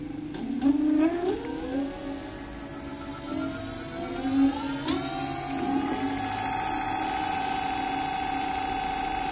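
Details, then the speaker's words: Dual Moto electric scooter, crooked after being hit by a car, hub-motor wheel after replacing 6003/6202 bearings with lubrication: clean rising whine settling to a smooth steady hum; previously sounded like a train, now like new. "so two pairs of bearings made this scooter sound like new that's how important they are"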